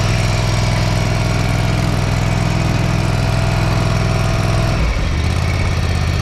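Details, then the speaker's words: Gravely ZT60HD zero-turn mower after swap to a used Kawasaki 26 hp engine (old engine made a noise and white smoke); steady even low rumble; runs healthy. "all I let it run for about 10 minutes and it burned all that oil out of the exhaust and it quit smoking it was running pretty good"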